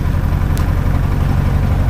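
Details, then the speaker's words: Light aircraft piston engine after spark plugs were cleaned and a new battery fitted, on ground run: deep, lumpy, uneven idle, popping and banging like a tractor, with negligible mag drop. Owner says it is not the plugs this time; cause is unknown, so rough running. "but if you listen she's popping and banging okay we'll shut that down"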